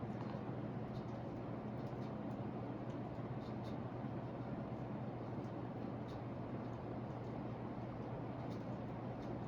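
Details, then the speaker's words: Hampton Bay Gazebo Plus 52-inch ceiling fan running: steady low motor hum under airflow noise, audible, not seen as a concern, cause unclear; motor hum. "see i can i know it's humming but i can i can definitely tell like i would hear it humming a lot above like upstairs"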